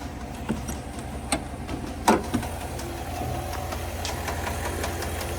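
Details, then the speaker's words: GMC Sierra 1500 SLT, about one week old, rough idle with scattered sharp clicks and knocks over engine hum on every start, consistent with noisy hydraulic lifter; dealer salesman called it normal. "can you believe the engine failed just one week after buying the truck and every time I started the engine it made a strange noise"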